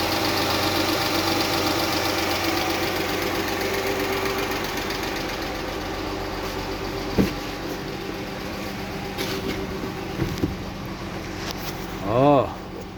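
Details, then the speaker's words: 2006 Chrysler 300 3.5, idling after all six ignition coils and the spark plugs were replaced: still a slight uneven skip with light rapid tapping on top, check engine light back on; misfire persists, cause not yet found. "I done change the spark plugs and ignition coils and it still got a little skip. It's kind of hard to tell with that tapping in it"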